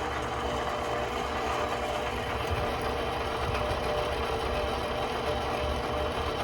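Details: Bandsaw running during tracking setup: even motor drone with a fast, light rattling chatter at constant speed; another problem with this machine, which is being returned, possibly a bearing. Abnormal running noise.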